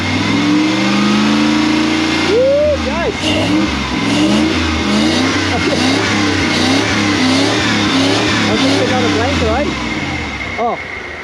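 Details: Toyota 1UZ V8 in an FJ40 Land Cruiser barn find, after its seized injectors were freed. It catches, then revs up and settles back cleanly through several blips, running smooth and even on all cylinders.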